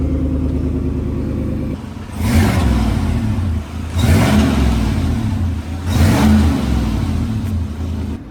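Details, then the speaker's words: Chevrolet Silverado Trail Boss Z71 just after a no-weld bolt-on Flowmaster Super 44 muffler install, U-clamps not yet fitted: deep steady burble with three clean throttle blips, no rattles or leaks, subtle. "Start it up. Yeah. Sounds good. Sounds real good."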